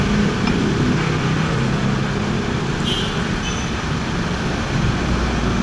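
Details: Scooter CVT after torque drive bearing replacement, which had been confirmed as the noise source: steady even drone with no whine, grinding or rattle; normal CVT operation.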